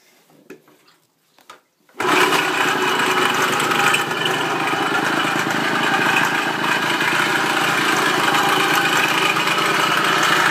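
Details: Kawasaki KE100 two-stroke at idle: fast high chirp about four per second like something unlubricated, cause unclear; dies when throttle opened quickly, revs only slowly; oil pump fine, carb set to factory spec; owner suspects spark too advanced.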